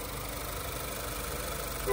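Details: Renault Clio 4 at 70,000 km, first start after repairing a misfire on cylinders 1 and 4: quiet, steady low idle hum with no stumble, knock or hunting. Engine idles normally.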